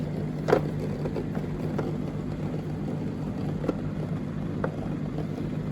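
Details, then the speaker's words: Street-found Indesit IDCE8450 condenser dryer: small pump hums steadily without pause, odd light knock. Owner suspects a faulty micro/float switch, as the pump shouldn't run continuously. "it shouldn't be running the whole time it's a bit strange you can hear it better there"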